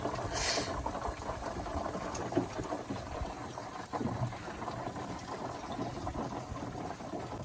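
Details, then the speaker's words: 1979 Ford truck engine grenaded and overheated; water poured down the carb and valve cover hole into the hot oil pan causes aggressive popcorn-like popping, sizzling and boiling over a rough low rumble, with steam coming out. "there's like aggressive popping in there it's like popcorn I think it's the leftover oil is so hot and the water is going into there"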